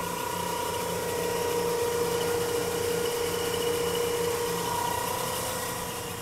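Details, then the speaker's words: 1983 Chevrolet Caprice V8, warmed up or on hot days, below about 2000 rpm: steady pump-like whirring tone around 500 Hz over the idle; owner guesses water pump, unconfirmed; cause not stated. "sounds like a pump but I don't know where it's coming from it happens only when the car is warmed up or if it's hot outside"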